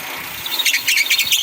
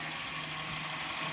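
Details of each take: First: 2008 Kia Spectra at idle while the wheel is turned: high chirping squeal coming and going, power steering freezing up, most likely because the belt is too loose. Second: 2008 Kia Spectra after tightening power steering and alternator belt tensioners: quiet, steady idle with soft hiss and no squeal or chirp while turning wheel lock to lock; squeaking belt fixed.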